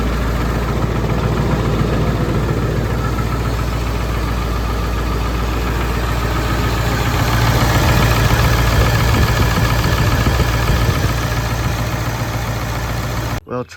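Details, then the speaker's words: Ford 7.3 Powerstroke diesel truck idles with a steady, even clatter and no missing beats, and takes a little throttle fine. This follows removing and re-torquing the injectors; an earlier fuel pump and return spring job hadn't fixed it. It runs much better; oil flows from front injectors 1, 3, 5 but not 7. "It sounded like it was running fine. I did give it a little bit of gas and everything was good."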